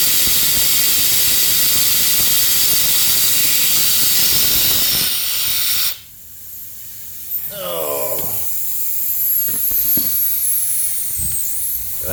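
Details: Leaking compressed-air hose: a constant, loud high hiss that never changes, then cuts off sharply, heard during a no-start service and carb work on a Honda self-propelled mower.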